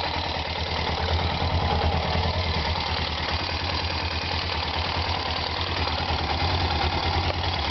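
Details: 1999 Suzuki GS500 twin idling with a soft knock about three a second under the exhaust; owner also reports a loud pop from the engine when revved hard with the clutch partly out, then rpm rose; engine knocking at idle.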